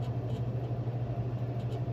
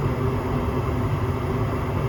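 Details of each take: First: Inducer motors kicked off, slowing down. Circulating motors on. It's blowing air through and it's either cooling down the high limit switch or it's resetting so that flame sensor flame rectifier can recognize that there's a flame there. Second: Home gas furnace after cleaning the dirty flame sensor (flame rectifier): steady even low roar of burner and circulating blower, no cutting out or cycling; flames good, short cycling fixed, normal operation.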